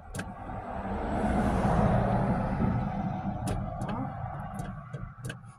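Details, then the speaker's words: 1984 Ford F-150 that had long sat unused, cranking at about three turns a second without firing; possible lack of spark suspected, maybe the hot wire; crank, no start. "he just said it might not be getting spark which was the main problem so the hot wire might not be working or not who knows"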